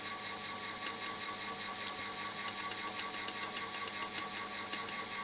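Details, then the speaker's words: Microcosm M11 steam-model water pump fitted with a replacement geared motor (280 rpm at 6 V versus the original 70 rpm), voltage raised to about 7.4 V; light, even high-pitched whir with a steady pulse, no grinding, runs properly. "Voilà. Donc à 7 volts 4, j'ai une vraie pompe qui fonctionne là."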